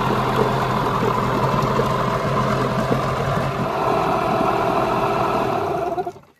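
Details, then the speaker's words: Yamaha 15hp outboard with rebuilt power head, after ignition timing and carburettor tuning, idling with the cowl on: even, steady putter with no misses or surging, then a clean shutdown; idles pretty smooth, normal idle. "That's not too shabby. Like, it's not the best, but with the cow, it's not too bad. That actually idles pretty smooth."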